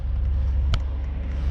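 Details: 2006 Buick Lucerne V6 in cold winter, idle too high (should be ~700 rpm), check engine light on: deep lumpy idle with a sharp click; misfire, not fixed by new coil packs or earlier plugs and wires, cured by replacing the ignition control module.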